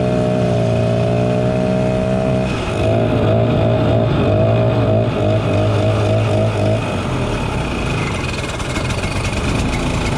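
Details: 1967 Ski-Doo Alpine twin-track snowmobile, revived after sitting many years, running on its own fuel on a 75° day: crisp two-stroke note rising and falling with throttle, revving freely without misfire or stumble; healthy normal running.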